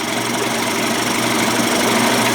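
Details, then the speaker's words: Johnson/Evinrude 25-to-35 hp conversion two-stroke outboard after bypass cover change and cam adjustment, mixture screw turned an eighth of a turn: steady, even buzzing idle with no misses or surging; runs smoothly. "I mean I barely turn that thing an eighth of a turn leaning it out turning it inward she sounds good"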